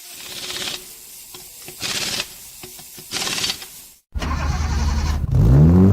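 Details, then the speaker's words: 2003 Infiniti G35 clutch pedal assembly: three short, scratchy squeaks as the pedal is pressed and released, from dry, unlubricated pedal pivots; fix is lubricating the assembly. "here's your clutch pedal squeaking on your Infiniti g35 or 350z Nissan well let's diagnose and fix that because it's annoying and I'm sick and tired of it"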